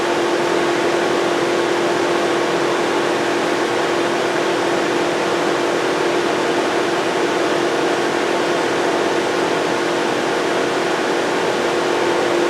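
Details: 2007 Volkswagen Jetta 2.5L, cranks but no start, no check engine light or tach movement with key on: constant loud rushing roar of cooling fans stuck on high; scan tool finds no ECM communication.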